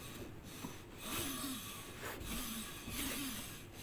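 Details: Unserviced clothes dryer running: a raspy squeal swells and fades about every two seconds as the drum turns; worn drive motor, new motor needed.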